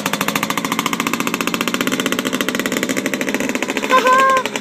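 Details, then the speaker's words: 1997 Yamaha Blaster 200 at first start after a rebuild: fast, crisp two-stroke popping holds an even rev with no load taking up; the owner suspects the clutch isn't engaging or is burned out, not confirmed. "how's that clutch doing I don't think the clutch works anymore somehow mission burned out I guess the clutch isn't engaging here"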